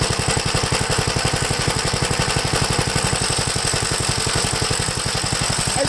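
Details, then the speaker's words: 1969 Gravely LI intermediate-speed single-cylinder tractor, running rough once warmed up; fast, choppy beat with uneven pulse strength, cause not yet found. "it seems like after I warms up I I just really running bad foreign"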